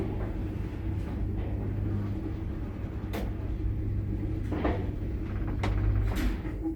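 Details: Mid-1970s Daka traction lift, innerdoorless car, 10 floors: low rumble of car travelling broken by scattered clunks and knocks at irregular moments; cause unclear.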